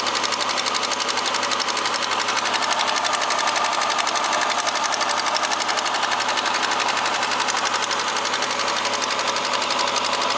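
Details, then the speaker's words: Opel X30XE V6 on a cold start with check-engine light on: fast even metallic tapping keeping pace with the engine; owner suspects the hydraulic valve lifter on cylinder one. "Заводим на холодную, горит ЧЕК Подозрение на компенсатор клапана первого циллинра"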